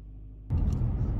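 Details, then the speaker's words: 2011 Nissan Rogue after replacing spark plugs and coil packs for rough idle, misfires, vibration and P0300 code: deep, even rumble at a high idle while the computer relearns, no stumbles; normal fast idle after repair. "so the idle is high because the computers relearning but it's nice and smooth"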